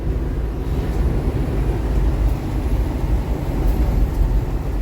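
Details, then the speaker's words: Force Tempo Traveller CR-V16 (FM2.6) on a road test after a rear differential repair; its housing had a hole and it jerked hard on gear changes: steady low road rumble with no clunks, jerks or shudder; normal driveline. "गाड़ी पूरा clutch plate को झटका लगता था पीछे Sloane को झटका लगता था तो अब तो बिल्कुल ओके है"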